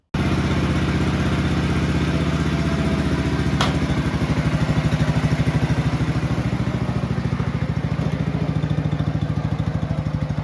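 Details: Red 1962 Bolens Ride-a-matic tractor, small petrol engine, after repairs, driving outside: regular firing pulses climbing and easing with throttle at different rev levels, no misfires or clatter; normal running.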